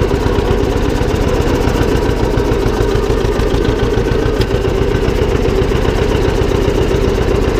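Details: John Deere 720 two-cylinder diesel tractor after repair, driven down the driveway: steady even diesel chug with no knocks or whine; earlier transmission noise gone, runs healthy.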